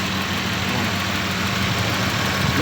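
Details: 1990 Nissan Safari after its crank no-start fault is fixed: a steady, even idle with a smooth low hum and no knocks, misses or stumbles; the engine runs cleanly.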